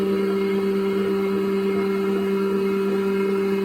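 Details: Wood planer running: steady, even motor hum with a firm low drone, no knocks, rattles or surging; running smoothly and healthy.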